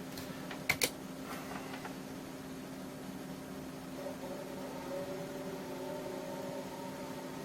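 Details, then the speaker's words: IBM PS/1 on a home-built alternate power supply, first power-up: a couple of clicks, then a faint steady floppy drive motor hum with no stepping chatter; drive spins but never seeks, error 161 shown. "least the motors spinning in that this don't know ever it's actually going to be able to do it or not"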